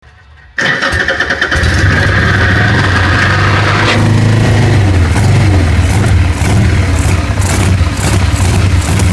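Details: Harley-Davidson 883 V-twin: fires up with a ragged, uneven beat that keeps stumbling when blipped and cannot hold a steady idle; misfire, will not idle.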